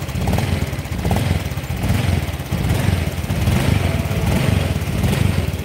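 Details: Honda Vario Techno PGM-FI scooter, cold engine: on throttle it stumbles and bogs with uneven popping, power slow to build; normal once warm, EOT sensor fine; low compression from a leaking valve.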